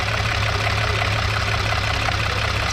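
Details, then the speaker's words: 2010 VW Passat R36 with 144,000 km at a smooth idle: a light, quick ticking over the engine note, with the lifters sounding a bit loud, possibly from sitting a while; cause not confirmed. "Idle smooth. Uh the lifters sound a little bit loud, but it might been sitting for a while."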